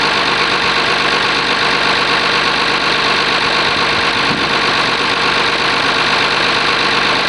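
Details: Oliver 1850 diesel tractor after a genuine cold start at about 45 degrees: settles into an even, steady idle clatter with no misfire or irregular knock. Normal idle.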